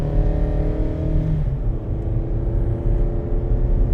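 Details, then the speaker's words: 2013 Hyundai Santa Fe with little power: under hard throttle the engine roars loud and flat but the note climbs only slowly, no pull. This indicates a plugged exhaust/catalytic converter. "I sound like I sound like a Honda Civic. Some kid has a air induction kit on it, and the car accelerating up the road, and you hear is whoa, and they're going absolutely nowhere. That's what it sounds like to me. So that, to me, tells me I got a plugged exhaust."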